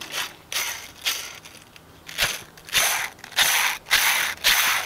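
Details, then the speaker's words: Renault Megane RS, clutch at 20,000 km: dry, gritty rattling grind in irregular bursts about twice a second when spun; clutch release bearing worn, its boot completely torn, bearing not Renault-branded, unclear whether the garage replaced it. "c'est le bruit de la butée. L'embrayage à 20 000 km."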